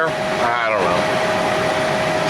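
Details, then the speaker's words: Squarebody K5 Blazer after a blower motor upgrade (VDO/Continental PM129 replacing stock PM140), engine started: steady, even fan hum with no scraping or ticking, blowing air well; normal blower motor operation. "now we'll go turn the blower motor on let's see what it sounds like well it works it's blowing air pretty good is it blowing more air"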